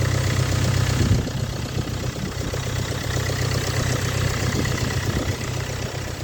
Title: стук на холодную.